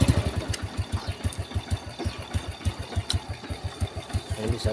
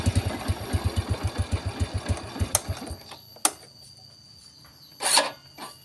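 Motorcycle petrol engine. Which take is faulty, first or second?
second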